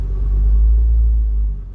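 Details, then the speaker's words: 1999-2007 Ford Focus with engine running: heavy, deep cabin drone and vibration, worse when shifting, caused by worn-out engine support mounts. "so that's nothing by vibration from the engine because the engine supports are pretty much gone"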